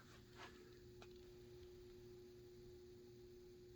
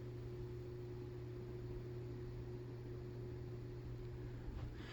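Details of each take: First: New Harbor Breeze ceiling fan on medium speed. Steady mid-pitched motor hum holds evenly under soft air rush; wind noise settles, but the motor hums noticeably more on medium and low. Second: New Harbor Breeze ceiling fan, mic held close: steady even low hum with faint higher tone and soft air rush, no ticks or wobble. Runs normally, though the motor hums more on medium and low.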